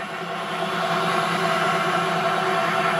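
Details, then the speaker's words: Nissan Leaf motor coupled to gearbox for classic BMW EV conversion, upright bench spin test on 36 V controller at maxed-out lever; even whine building smoothly, no knocking or rattle, very minimal wobble, clutch plates well centred. "alright that's maxed out now the lever so I'm really happy with that there's very minimal wobble at the top of that if any at all really"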